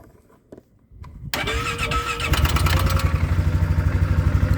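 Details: Polaris 570 in park, started by holding the brake and turning the key: brief quiet, a short crank, then it catches at once and settles into a steady, even idle; clean, normal start.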